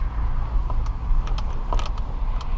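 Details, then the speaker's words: 2014 Dodge Durango Citadel Hemi AWD after replacing the front sway bar links, driving over light bumps and curves: steady road and tyre rumble with a few light ticks and no clunks; the previous clunking noise is fixed. "I believe it is fixed I don't have any knocking noises"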